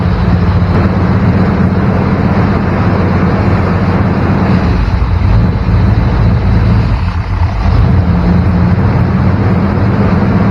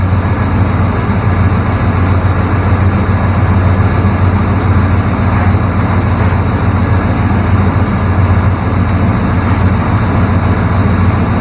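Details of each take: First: 1994 Chevrolet K1500 Blazer with high idle near 1500 rpm after a cracked hose was patched: steady, slightly fast idle with an even low drone, no misses; leak not in one place, suspected throttle body base gasket. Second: 1994 Chevrolet K1500 Blazer after repair of a 1500 rpm high idle, now idling about 1000–1100 rpm: steady, even idle with a low settled hum, no hunting, misses or ticks; normal idle.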